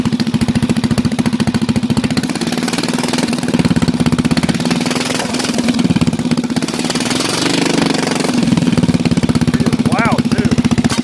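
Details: Bolens single-cylinder lawn tractor, sat about a year and a half, run with muffler temporarily removed: harsh, loud pops, quick and fairly even, wandering slightly with speed; unmuffled open exhaust.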